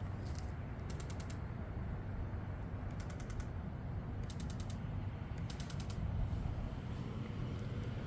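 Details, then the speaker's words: 2JZ-GTE swapped Lexus IS300 with a Fueltech FT550 ECU, engine off, during an ECU output test to verify the installation; short bursts of crisp, rapid ticking. Fuel injectors clicking during test fire. "you see it it energizes it and you're able to fire the injectors and you could just verify that everything is installed correctly"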